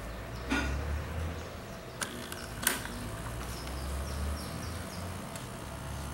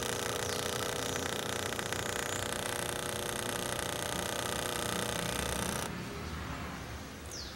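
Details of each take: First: "Mini" air-conditioning condensate pump after vibration-reduction fix, pumping from full water container: low even hum with a few handling clicks; noise much reduced but still somewhat noisy. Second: Mini air-conditioner condensate pump after a vibration-damping fix: steady, dense mechanical buzz with fast even pulsing, then a sudden drop in level; noise reduced but the pump is still noisy.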